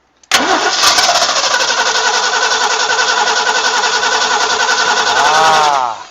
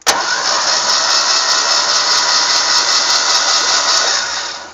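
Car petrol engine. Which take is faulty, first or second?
first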